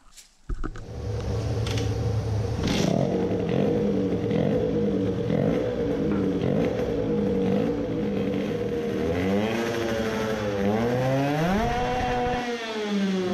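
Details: 50cc racing two-stroke moped with race carburettor on a gravity fuel feed, around 16,400 rpm: screaming note stutters and wavers instead of holding clean; misfiring up top, fuel feed made no difference; high-rpm misfire.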